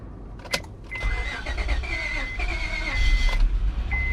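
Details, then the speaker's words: 2005 Honda Accord 3.0L V6 replacement engine, first start after filling oil and coolant: short crank, fires right up and idles steadily at 800 rpm, no check engine light; slight exhaust leak audible. "Woohoo! And she fired right up. Sounds good."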